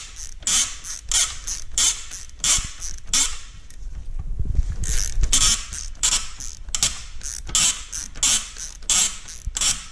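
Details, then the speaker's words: Nissan Murano/Maxima, engine off during alternator replacement: rough, dry creaks in uneven bursts about 90 a minute as the belt tensioner pulley is levered, suspected dry tensioner pivot (not confirmed), WD-40 applied to its center. "Putting some little bit of WD-40 right in the center should help that out."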